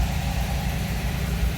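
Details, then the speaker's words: 1979 MGB just started cold on choke, temp gauge not yet reading; low, steady idle with even beat, RPM rising a little and leveling as it warms, no knocks or misses. Normal cold idle on choke. "can hear the RPMs coming up a little bit. It's leveling out, starting to warm up."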